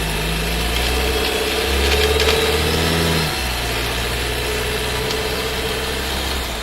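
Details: New Skoda Scala 1.5 TSI with dry-clutch DSG, about 3,500 km, heard in the cabin: pulling away from a stop, abrupt drop in engine note as the box shifts loudly; harsh gear shift on take-up.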